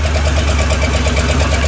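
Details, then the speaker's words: Old GM 305 V8 in a tune-up, warming up after a firing order check, idling lumpy with popping crackle from the left (driver's side) exhaust, probably not firing right; owner suspects a possible camshaft fault. "It seems to run a bit better, but it's still not running 100%. You hear it crackling out of the left side exhaust there."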